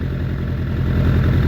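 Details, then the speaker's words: Suzuki Bandit 600 under crash repair, running after oil and filter change on a jumper box, choke just taken off after brief warm-up; low lumpy idle with uneven firing and stumbles, owner doesn't think headers are blowing, cause unclear. "Well, it's idling. I don't think it's blowing out the headers. I don't think it is. It's just a wee bit spluttery. I don't know why that is."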